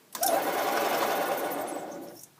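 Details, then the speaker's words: Rebuilt EZGO 295 golf cart engine, new motor, cranking with spark plugs out and generator belt removed: fast raspy whirr with grinding edge for about two seconds; also heard when running, generator ruled out, owner suspects bearing noise. "i'm going to run it right now without the plugs in it and you can listen to uh the way it's turning over i hear a bearing"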